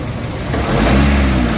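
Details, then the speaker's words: Honda Fit with CVT transmission, accelerated after a heavy-vibration check at idle: engine drone swells with a loud low roar and rising tone, with both the engine and the transmission very noisy; mechanic links it to the torque converter and flywheel; cause unconfirmed. "Sobrang ingay. Oh. Sobrang ingay ng ng mismo ng makina niya. Pati transmission, maingay lahat."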